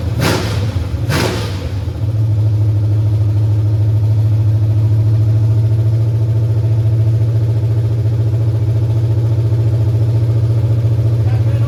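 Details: 1989 Mustang GT 5.0 carbureted V8, high-mileage stock shortblock, GT40 heads, mystery cam, longtube headers, just restarted after fuel pump hookup: a couple of quick blips, then steady deep lumpy idle through open pipes; normal idle.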